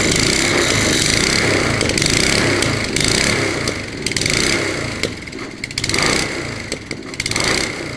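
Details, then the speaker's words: Honda HRH 536 HXE professional lawn mower being revived, running on choke; revs surge up and down unevenly every second or two, wrong governor spring found and to be replaced; engine speed hunting. "alors c'est pas le bon ressort de régulation donc je vais le remplacer je vais voir si ça change quelque chose"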